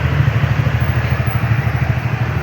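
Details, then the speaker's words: TVS Ntorq scooter after FI cleaning, rpm tuning, CVT and timing-chain work and valve clearance adjustment: even, quiet low putter with no rattle or tapping; the earlier valve clatter is gone. Normal idle. "So testing natin kung maingay pa ba yung makina. Yan, tahimik ni makina niya, wala na yung kalansing,"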